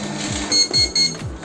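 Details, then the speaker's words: Epson LQ-2180/2190 dot-matrix printer after gear roller replacement: three short high beeps over motor whir at power-up, error from the paper width (PW) sensor; fix by blowing out and cleaning it, replacing the sensor if still failing. "Kalau bunyi seperti itu. Tiup-tiup aja untuk sensor PW nya dan dibersihin itunya."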